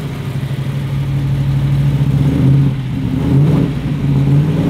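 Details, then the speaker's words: Ford XY Falcon GT 351 V8, first start-up after build, timing adjusted and fuel lines primed: deep, even burble with steady firing and smooth rev rise and fall; running healthy. "we finally got to hear this thing kicking to the life sounds good it sounds actually really good doesn't it does sound really good"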